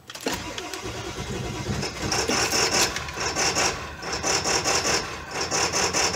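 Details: 2000 Ford F-450 DRW, 7.3 PowerStroke diesel, cold start after cycling glow plugs three times, window open: engine catches after cranking, then runs lumpy and loud with uneven rattly firing for 30 seconds to a minute before smoothing to idle; normal.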